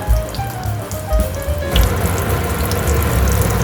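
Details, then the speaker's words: Hatari AC Classic1 evaporative cooler, whose pump would not run on COOL, with the water sensor wires joined to bypass it: steady low hum under a constant trickle of running water as the pump circulates water normally. "อ่ามาใส่กันแบบนี้แล้วผมจะกดปุ่มคู่นะครับได้ยินเสียงน้ำไหมครับปั๊มน้ำมันก็จะทำงานนั่นเองนะครับ"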